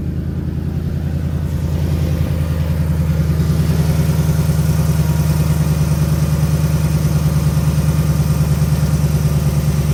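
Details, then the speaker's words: 2019 Ford Mustang GT PP1 V8 at about 5,000 miles, cold start: fires and settles into fast even idle with deep burble and no tick; owner notes a tick underneath before the first oil change, now gone. "And if you listen there, there's no tick. So, to be honest with you though, there's no tick now."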